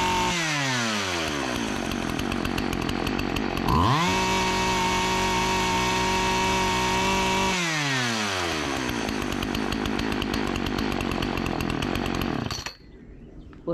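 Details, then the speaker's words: Partner 405 chainsaw that stalled on throttle, after repair and tune-up, running without air filter cover: crisp two-stroke revs up cleanly, holds a steady high buzz, returns to idle without stalling; runs well. "parece que va bien eh Parece que va bien"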